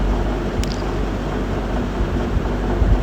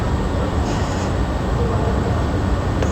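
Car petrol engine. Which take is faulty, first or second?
first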